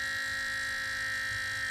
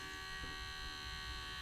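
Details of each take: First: Water-cooled Goped scooter's new electric coolant pump (rated for 12 volts) run primed on a single 9-volt battery: steady high-pitched whine with low hum underneath; owner thinks the 9V is already struggling and won't last long. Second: Water-cooled Goped scooter's new electric coolant pump, just switched on and primed, air purged from the cylinder: quiet steady high-pitched whine, no surging; pumps much faster than the old pulse-powered pump, then speeds up on its own.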